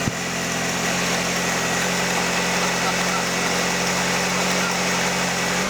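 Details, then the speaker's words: VW Caddy restoration engine, ignition timing about 6 degrees before TDC, first turn of key after revamp: ticks over smooth and even at a settled idle, no misses, knocks or hunting; normal idle. "Well, there we go. First turn of the key and it's running, ticking over really nicely."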